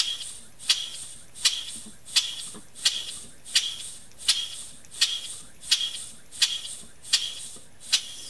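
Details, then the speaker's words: Scratch-built steam engine (1.5" bore, 3.5" stroke, 8" x 1" steel flywheel) running on 15 psi air: crisp, even light hissy exhaust chuffs about 85 a minute, no knocking; runs smooth with good torque. "Runs really, really well on 15 pounds of air and generates quite a bit of torque."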